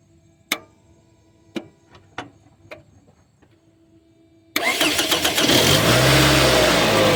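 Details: Toyota Camry Solara 2.4 with an intermittent no-start, tested with a multimeter on the starter signal wire: a few sharp clicks, then a short crank and the engine catches, revs and settles; the starter engaged this time.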